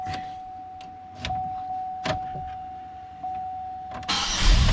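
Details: 2005 Chevrolet Impala, 357,881 miles, intermittent starting with a suspected camshaft sensor fault, after sensor replacement: brief crank catches right away and settles into a steady idle with a faint electrical whine. Normal start.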